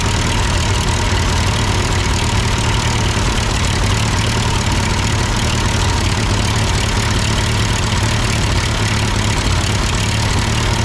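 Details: Ford 8N tractor that sputtered uphill with a cheap Chinese replacement carb, now with its carb adjusted; loud, even low rumble at steady speed with no stumbles or misses, engine hot. Normal idle.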